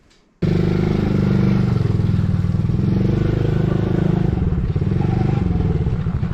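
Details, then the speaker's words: Coolster 110cc quad that sat 2 years, on first test ride: engine holds a steady high-revving roar without returning to idle, throttle stuck open because a cap was not screwed on properly; owner fears debris was sucked into the engine. "W the throttle um um stuck open on me so not good you can hear it there's some stuff going on in there"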